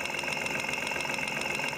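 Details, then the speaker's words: Engine at idle, stethoscope on a fuel injector: quick, even light ticking at a steady rate, showing the injector is getting its signal, though not proving fuel flow; normal injector operation. "yeah I can hear it ticking that doesn't mean the fuels flowing through it but at least it's ticking I know I'm getting a signal to it"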